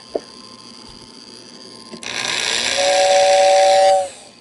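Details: Restored 1949 Lionel 2026 steam engine's whistling tender on 15 volts AC, whistle button pressed: short hiss builds into a steady two-note whistle held about a second, then cuts off cleanly; healthy whistle motor.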